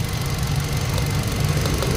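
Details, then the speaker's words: 2020 Hyundai Accent gasoline, after replacing a burnt ignition coil on cylinder 3 for a P0300 misfire and clearing codes: smooth, steady idle with no pops or skips, check engine light gone; misfire fixed. "ayan so stable stable na Nawala yung check engine nawala na yung check engine"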